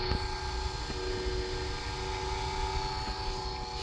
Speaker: So you can hear the motor struggling. Little bit of pasta coming out. This is very dry. Probably too dry, start to break. Still pushing.